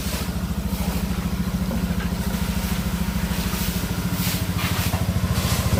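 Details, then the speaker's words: Honda Beat FI scooter after top overhaul (engine stalled on the road from lack of oil, would not start): soft, even putter at steady idle with no knocks or ticks; engine quiet again, still breaking in, oil change due at first 500 km. "Tahimik na uli yung kanyang tunog ng makina mga sir, at pinalikan natin lahat-lahat para mapakuha natin to sa may-ari. At goods na goods na."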